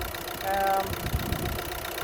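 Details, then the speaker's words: 2009 VW Golf 1.6 TDI 90bhp CAYB, P0203/P0606, after replacing broken injector, first start took a few tries: short steady diesel clatter settling into even idle, running on all four cylinders. "obviously took a few tries to start off but this is running on four cylinders now"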